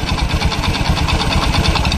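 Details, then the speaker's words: Honda Beat scooter idling, noise from front of engine: rapid uneven rattling "trek trek trek" tick through low thrum, suspected loose piston (piston slap); roller housing (CVT) also loose and noise worse with CVT fitted; cause not confirmed. "di bagian mesin bagian depan ada suaranya truk trek trek trek seperti seher longgar lehernya seperti ada kelonggaran berada di genteng"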